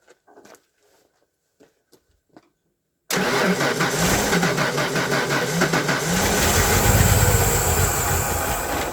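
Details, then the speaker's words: Derelict 1992 Ford Flareside on a cold day, fuel pump now circulating fuel and dragging down: steady cranking at three to four turns a second with faint sputters that never catch; crank no-start, pump suspected of not making enough pressure. "now i know the pump's doing something that just barely ended up making not making enough pressure to keep it running"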